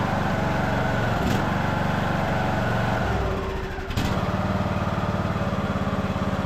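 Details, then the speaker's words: Craftsman LT2000 riding mower after carburetor cleaning, fresh fuel and a needle-and-seat leak check: the single-cylinder engine thumps at a steady, even beat with a brief dip, then recovers cleanly, normal running. "and yeah, so far sounds good. Engine sounds good."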